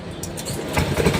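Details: Griffin 180i motorcycle that had failed to start with only ticking: after corroded connector pins near the rectifier/charger were cleaned and sprayed, a brief starter whirr and the engine catches on one press; starting normally, wiring fault fixed.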